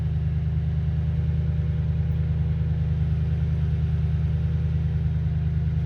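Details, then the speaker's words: Toyota Tundra after fuel pump driver module replacement, fixing crank-no-start and rough idle: steady, even low rumble with a smooth regular beat and no misses, knocks or stumbles; normal idle. "Well, it seems to be running good now."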